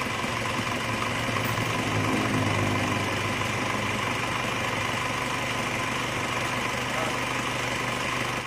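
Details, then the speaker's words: Isuzu Panther diesel rebuilt for heavy blow-by: new liners, pistons, bearings, reground crank, seals, gaskets and all water lines; just started, not yet adjusted. Steady idle with even low thrum and light tick at each firing, no knocks; normal idle. "tapi ini untuk kita lihat dulu hidupnya Bagaimana setelah ganti seker ganti liner baru dan seluruh jalur air diganti semua"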